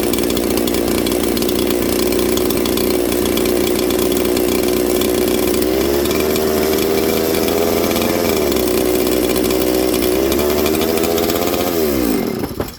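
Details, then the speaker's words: Old 200-series (266) chainsaw from a junkpile, idle screw being lowered: buzzing idle holds, then revs hunt and it fades out and dies; stalling, owner suspects it is running out of fuel. "This thing's running out of fuel, friends, is what I actually think's going on here."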